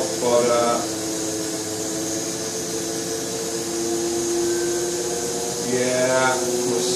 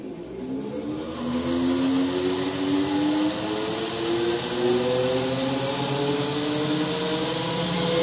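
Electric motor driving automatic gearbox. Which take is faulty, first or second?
first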